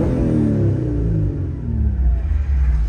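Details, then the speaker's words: Engine idling smoothly after the idle problem was fixed, with the idle air control valve named as the usual clog on older Japanese sports cars. Deep, even hum easing off with speed, no fidgeting, bogging, misses or cabin vibration; healthy engine. "as you can see right now the idle is not fidgeting or moving whatsoever at all there's no vibrations in the cabin it feels great it's not jumping up and down it's not bogging down and the engine sounds fantastic"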